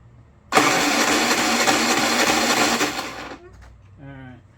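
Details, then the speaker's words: Predator 3500 W inverter generator, bought used for about $65–75, tried with and without choke: about three seconds of cranking that never catches or fires, then quiet; no-start, owner suspects the carburetor and plans to pull it. "well I guess uh tomorrow if we get a chance to work on it we'll pull carburetor off"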